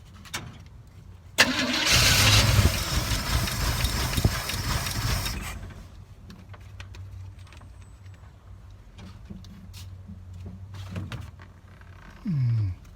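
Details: 1986 GMC Jimmy 350 V8 after lifter work and an intake reseal; it cranks, catches, roars briefly, then settles to an uneven, lumpy idle before timing-light adjustment; the ignition timing is not set.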